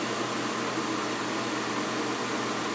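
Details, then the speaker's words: Soleil space heater, dropped, broken fan blade repaired: the fan runs on with an even blowing hiss and low constant hum, no rubbing or ticking. Owner expects it to shut off once the temperature drops. Normal fan run-on. "probably once it gets to a certain point the fan will shut off and the whole thing would just shut off"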